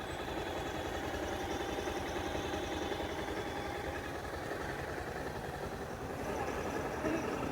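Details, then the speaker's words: Bajaj Pulsar 220, about 11 years old (bought 2011), 60–62 thousand km, after repair of an engine tick-tick noise (timing chain, scissor gear, clutch kit): quiet, even single-cylinder putter at idle, no ticking or rattling; completely silent and smooth. "बिल्कुल silent हो गई है bike कोई कमी नहीं है bike के अंदर मैंने चला कर देखिए काफी अच्छी चल रही है स्मूथ है बिल्कुल"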